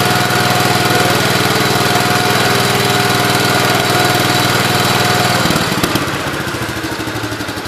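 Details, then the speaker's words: Gravely 8123 engine after a swap, timing set and head retorqued: steady, even beat at about four pulses a second, then it drops back smoothly without missing; runs healthy. "Sounds good. You already set the timing."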